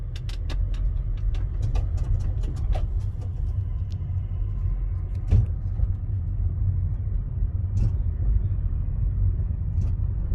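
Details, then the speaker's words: 2014 Honda Civic driven over bumps, heavy road rumble with sharp irregular knocks, louder over potholes and much louder when the car was cold in the morning. "Esse é o interessante que esse barulho ele não era só quando passar um buraco mas quando passar um buraco o bagulho era maior e ele era bem mais alto quando o carro estava frio né"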